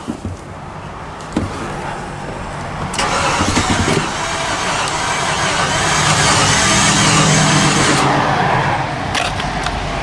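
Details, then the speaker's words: 2015 Infiniti QX80 from a Copart auction, cranking with starting fluid, no start: steady starter churn without catching; a coil check found no spark, and a belt was then found snapped or cut. "well I decided I got no spark and I've got a plug out so I figured that's not good"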